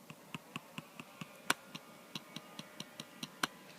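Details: New 2013 MacBook Air trackpad clicked in a quiet area where it behaves fine: crisp single clicks, about five a second, each clean with no buzz or rattle. Rattle occurs elsewhere on the pad; normal trackpad click here.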